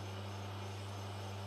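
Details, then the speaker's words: Small lathe turning a part at a slower spindle speed: steady even hum with no chatter, slowing the speed having eliminated the chattering. "just by slowing the flywheel down the chattering has disappeared"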